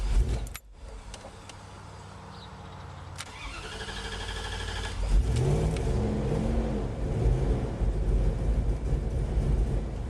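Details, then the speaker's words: Woodgas-powered vehicle started on woodgas alone with no gasoline: cranking, then the engine catches and settles into a rough but steady low run; owner thinks he gave too much air and runs it rich. "there we go she's running she was running"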